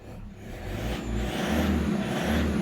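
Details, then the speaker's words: Customer's top-model car audio preamp, 2–3 years old, tested for reported engine-speed whine: engine revs up over low rumble with no whistle rising with revs; preamp cleared, customer's power or signal wiring corrosion suspected. "ถ้าผมเร่งเครื่องไปต้องสัมพันธ์แล้วนะครับยังไม่มีเสียงหวีดอะไรขึ้นมาเลยนะครับ"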